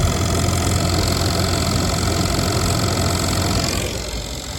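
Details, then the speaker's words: 1997 Jeep Grand Cherokee blower fan running again after the fix, key on, engine idling: steady fan rush with even hum, no rattles or squeal, speed rising gradually as the control knob goes from low to high; normal blower operation. "and now we're going to try our control here you can hear picking up [Music] we got it working and it seems to be working as I adjusted the knob from low to high it was gradually getting faster"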